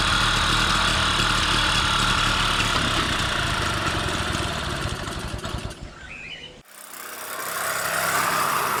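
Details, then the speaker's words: 1999 Solex 3800 under-50cc two-stroke moped with friction front-wheel drive, riding on the road: crisp, steady two-stroke buzz firing evenly, dipping briefly then picking back up; healthy engine. "so here it is selects 3,800 1999 model two-stroke friction front-wheel drive I like the sweet sound the engine makes"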